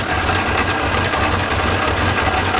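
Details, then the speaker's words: 1986 Chevrolet Camaro IROC-Z V8 after exhaust manifold leak repair: steady, even idle with a smooth low pulse and no ticking or puffing from the manifold side; only top-end noise remains. "so i don't hear anything over here anymore and pretty much all i hear now is the top"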